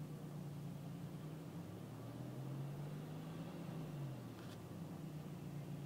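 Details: BMW E46 318ti at idle, engine light on, recently going into limp mode: steady low drone whose pitch swells and sags over several seconds with no throttle input, revving by itself; idle surging, cause unknown.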